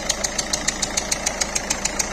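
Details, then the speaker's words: Peugeot 3008 1.6 eHDi 112 hp diesel at idle, smoke and exhaust escaping under the bonnet, worse when driving: sharp, even chuffing tick about seven per second; compression leak, suspected leaking injector seals. "Quand on roule, c'est pire. Alors là, on sent bien que c'est une pression qui s'échappe."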